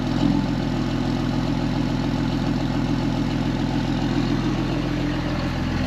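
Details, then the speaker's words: 2005 Ram 2500 diesel idling after replacement of the FASS lift pump and the leaking fuel lines under the cab: a steady, even clatter with a smooth low drone and no misses or knocks. It sounds good, a normal idle. "just going to let this run for a little bit see if I can clear up the engine some sounds good running pretty even I like it"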